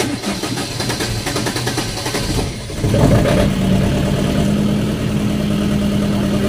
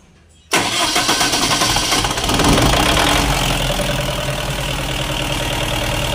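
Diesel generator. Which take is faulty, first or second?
first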